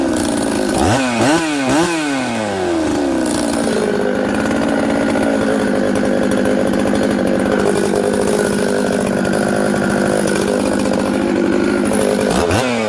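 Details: Husqvarna 266XP chainsaw on day two after air-leak repair: lazy climbing to high rpm through wavering rev-ups before holding a steady scream, idles fine and runs upside down; sluggish pickup from faulty carburetor.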